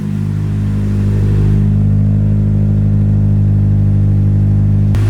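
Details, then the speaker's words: Nissan 240SX S13 with freshly built SR20, first start: smooth even low idle with a steady deep hum and no knocks or misses; coolant bleeding, no leaks, 60 psi oil pressure, lifters possibly slightly noisy. "Yeah, I think we did it. Got this thing running, bleeding some coolant. We got no leaks as far as we can tell."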